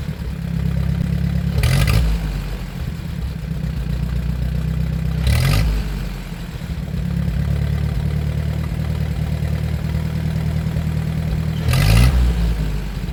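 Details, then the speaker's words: 1947 Ford 8N tractor after adjustment, driving through the gears: steady low drone with clean pickup on each rev, no cough or stumble; normal running under load. "I don't know how much of that you can hear but it does sound like I got the pickup so yeah who knows"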